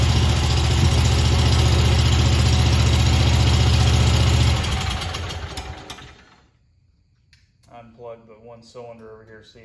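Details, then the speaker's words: Stander mower twin-cylinder engine, 3,000 hours, number one cylinder dead (bent pushrod, stuck exhaust valve, pushed-down valve guide), running only on number two; low lumpy uneven beat near 220 pulses a minute, labouring then quitting; carburetor missing welsh plug causes idle surge. "but it is actually running but it's running on the number two cylinder over here"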